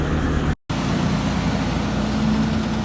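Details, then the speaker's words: Truck after replacing a failed brake chamber that caused an air leak: steady low engine rumble with no hiss or whistle; air brake system holding, no leak. "Alright, now all we got left is to check it. No leaks. Check if it works."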